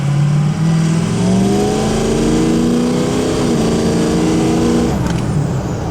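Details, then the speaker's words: Ford 6.0 diesel test drive after turbo cleaning, rolling hole shot; strong, clean note climbing steadily under hard throttle, no turbo bark on throttle or lift-off. Normal acceleration; serpentine belt slightly noisy. "no barking cool all right now just coming off the throttle any speed no barking okay good looks like we got it figured out"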